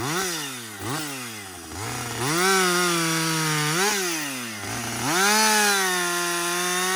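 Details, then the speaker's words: Husqvarna 562XP 60cc chainsaw, after the shop reflashed its software for dying when hot, hard starting and stumbling, bucking dead windfall with about two-thirds of a tank used: revs crisply on each throttle blip and holds strong, even pitch through longer cuts without bogging; normal running under load. "so far it's running great um I've got I'd say about I don't know two-thirds of a tank gone but listen this is real world practical use right 60cc saw bucking up some windfall some dead"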